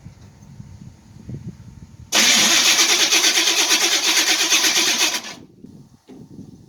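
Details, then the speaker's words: Chevy Nova cranking: three seconds of loud harsh grinding whir, the starter Bendix pinion not meshing with the flywheel ring gear because of an excessive gap; bolts were tight and noise appeared suddenly; shims later bought for the starter. "How it went from being fine to being obnoxiously loud, I couldn't tell you. The gap was pretty far between the shaft that the Bendix rides on and the flywheel."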